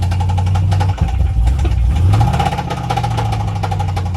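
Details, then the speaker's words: Jeep V8 at rough idle: uneven rapid ticking knock over a heavy low rumble, louder with revs, with power loss; owner assumes a worn camshaft but is unsure of the source. "so let me show y'all the noise that your car will make when your camshaft is worn out"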